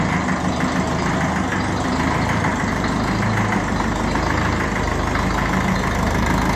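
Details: 1954 Ferguson 20 TEF diesel with an overhauled engine, after the heater plug was replaced: a steady, even diesel clatter at slow idle following the start, with no misses or knocks. This is a normal idle.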